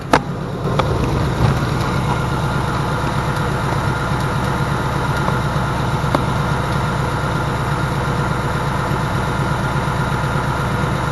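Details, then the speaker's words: Car at about 12,000 miles, after its second oil change: steady low idle with a light, fast, even top-end tapping that owner calls pretty bad; cause unconfirmed. "so it's it's tapping away right now like it's pretty bad and I haven't heard the noise that I can speak of since my oil change"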